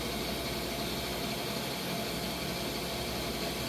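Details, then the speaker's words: Freeze dryer vacuum pump about 19 h 53 min into a bell pepper batch, final dry, pump runs warm with a fan on it, after fixing the valve behind error code 8: steady even hiss and hum, no knocks or surges; vacuuming now good. "So by fixing that valve right there, it solved the problem of the error code 8. Now we have a great vacuuming."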